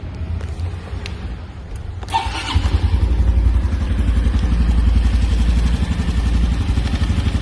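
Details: New 2025 Honda Biz 125 single starting and settling into idle: fast, loose clatter riding on the low thump; engine clatter, source not pinned down.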